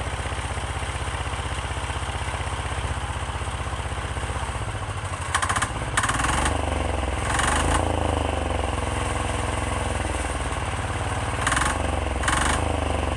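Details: 10 hp Chinese Yanmar-clone single-cylinder diesel on a frame, first start, smoky, on a semi-truck battery: steady idle thumping about two and a half beats a second, even and smooth with some rattle from vibrating rear fenders; normal idle.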